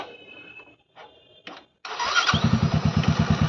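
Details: Motorcycle starter churns in even low chugs, about three a second, with no catch; it cranks but never fires. Rider says his bike won't start; cause unconfirmed.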